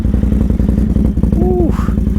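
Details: Can-Am Outlander 800 ATV first test after mods (snorkels, front 2-inch lift, new rear axles and bearings, different CVTech clutch spring, 28-inch tires): crisp, even exhaust beat at fast idle with quick rev blip, no knocks. Normal engine running.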